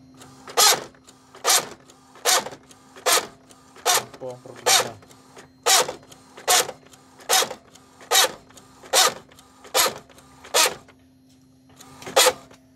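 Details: Epson L565 inkjet printer makes harsh grinding, rasping bursts about once a second as the print head sweeps back and forth, along with double-line printing.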